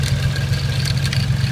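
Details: 1992 Nissan 240SX idling: a steady low idle with a light rattle riding over it and no clear knock pattern. Something in the engine bay is loose, cause unknown.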